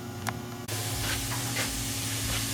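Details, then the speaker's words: Chrysler/Dodge/Jeep with code P0455 large EVAP leak. Pressure would not build while pressurising the system. Steady airy hiss over low hum comes from a rusted, leaking EVAP vent line, with strong gas fumes smelled. "so the telltale sign is I smell gas fumes real bad and you can hear it hissing."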